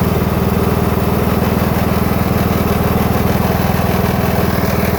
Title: new husqvarna ts 242 grinding sound